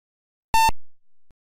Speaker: Generally, when the computer is first switched on, a single beep will be produced sounding like this.